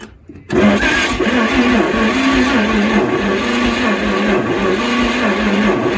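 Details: 1938 Chevrolet Master Deluxe sitting since early 1970s, first start attempt with choke control fitted: after a pause the starter churns steadily over five seconds, engine turns evenly but never catches; they question the starter and battery.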